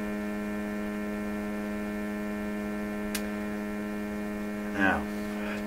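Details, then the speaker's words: Electrohome Chippendale console radio, FM IF alignment at about 10.7 MHz using sweep generator, oscilloscope and SDR display; steady low buzz holding one pitch from the speaker, the normal expected sound of the sweep signal. "okay let's listen to the radio what is it sound way that's kind of what it should sound like a buzz"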